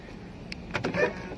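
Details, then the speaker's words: NIO ES6, about two years old, hidden door handles in hot Guangzhou sun, surface around 60°C: short scraping creaks and squeaks as handles move; heat expansion makes handles swell and bind in housing. "都异响了，为什么呢？因为我现在对着太阳在晒，然后热胀冷缩，这个上面现在应该摸上去得有60度的一个温度，非常烫手，然后这个门把手就胀起来了，把这里挤了。"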